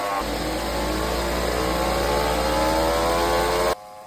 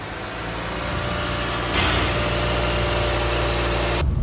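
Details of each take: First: Lexus NX at about 100,000 km: a steady droning hum rising with road speed from the K114F CVT, where both bearings had spun in the housing, blamed on hard starts; the CVT was repaired. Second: Lexus NX with a K114F CVT, about 100,000 km, after CVT repair for a droning bearing noise while driving: steady, even running with only the usual low engine note and no hum or whine from the transmission.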